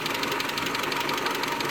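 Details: 2001 Mitsubishi Galant 2.4 4G64 at steady idle: fast, even, light metallic top-end tick from the valvetrain, a classic lifter tick; suspected causes include misaligned oil pump gear at timing belt service, coke or varnish-clogged lifter ports, clogged pickup screen, worn oil pump, or failed lash adjusters.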